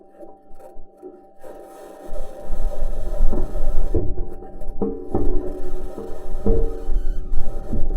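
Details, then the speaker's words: Perseverance Mars rover driving, recording with the wheel-ground noise isolated: irregular metallic bangs, pings and rattles over a low rumble as metal wheels roll over rocks; normal driving noise. "In a second version of the recording, the team at NASA isolates the noise of the wheels interacting with the ground."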